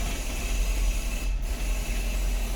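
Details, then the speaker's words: Toyota Prius hybrid (2002–2010 generation) at standstill: rough, uneven low rumble with irregular thumps and rattling from a misfire, a combustion problem; shop suspected low compression. "cuando hay un y fire hace esto un problema de combustión hacen esto y es el ruido que escuchamos para el que nunca escucharon mi fire en estos carros piensa que el motor está haciendo pedazos pero en realidad pues sólo es este un me fire"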